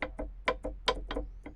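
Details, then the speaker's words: Fiat Tipo front control arm, original part off the car: quick hollow knocks about five a second as the ball joint is rocked by hand, showing extreme play; worn ball joint causing the suspension noise. "Então galera então vocês tinham uma folga absurda nesse pivô aqui ó do tipo"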